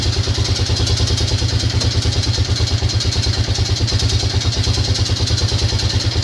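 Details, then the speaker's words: Grizzly 600 single-cylinder ATV idling cold after carb work, engine previously opened by someone else: regular light knock about three times a second over the idle; source unclear, owner fears the bottom end. "Did it sound like that before they started, and now it sounds like that again? Is it in the bottom end? I don't know."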